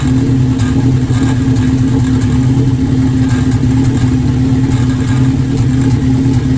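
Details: Formula Enterprise starting after intake manifold gasket installation: rough, loping idle with uneven stumble and occasional pops breaking the steady beat, a cylinder misfiring.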